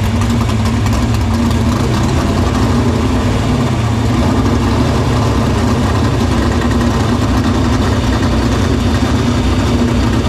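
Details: Dirt Silver Crown race car idling in the shop after getting fuel through the main lines to the pump and barrel valve; loud, steady, even idle for ten seconds, no stumble or surge; fuel system checked out good.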